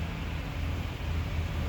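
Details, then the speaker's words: 2011 Jeep Grand Cherokee WK2 V6 idling smoothly after fixing no-start/no-crank with P0622 generator field code by installing two braided ground straps; no misses or knocks. "And she runs, she lives."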